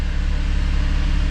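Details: Saturn Vue Redline 3.6L idling right after the starter motor was replaced with a new aftermarket unit: a smooth, even low rumble with a steady beat and no knocks or rattles; healthy idle.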